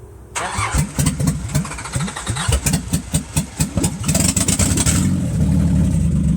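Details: Nissan Z31 first start after rebuilding all injectors and fuel-rail parts: cranks, catches, then idles with an uneven, lumpy beat of about two pulses per second that stumbles, a misfire; exhaust leaks also noted.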